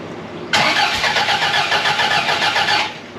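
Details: 1982 Fiat 124 Spider with a freshly rebuilt engine (built twice), fuel-injected at 35–40 psi, first start after valve shims and timing set: starter cranks steadily at about four turns a second for two seconds, no firing; cranks but won't start, cause unconfirmed.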